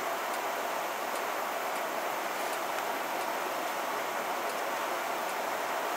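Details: 1990 Heil gas furnace after the owner cleaned the thermopile and burners: faint sharp clicks about every three-quarters of a second over a steady hiss. It relights, runs about a minute, then trips off; described as control valve failure.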